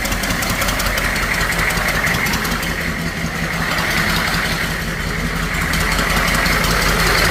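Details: Humvee H1 6.2 diesel idling with the intake manifold off, after a rebuild kit on the fuel injection pump to fix a fuel leak; steady, even injection clatter with no hunting, running properly.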